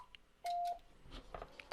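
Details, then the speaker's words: Icom IC-7300 internal tuner at the top of the band: keys very briefly with one short beep, no relay chatter, tune indicator stays off because the antenna is beyond its roughly 3:1 SWR range. "i'm going to try to get it to tune here and there you notice it keyed very briefly but the tune indicator is not on and we'll try it again"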